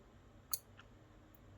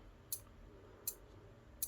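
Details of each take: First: Elegoo Arduino starter kit relay driven by Arduino output pins supplying enough voltage to activate the switch: two crisp clicks about a second apart in a quiet room, relay switching normally. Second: Elegoo Arduino starter kit relay meant to switch a small motor: relay ticks about every 0.75 s with no motor hum; the Arduino drives the relay fine, but both relay outputs were wrongly wired to the motor.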